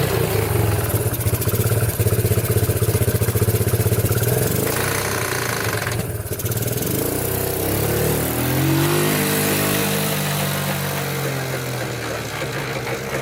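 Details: Abandoned Yamaha Breeze on a cold Wisconsin day, test-driven after fixes: a small single runs evenly, its pitch rising and falling smoothly as it pulls away under throttle, with no misfire or bogging. It runs and drives fine; normal running.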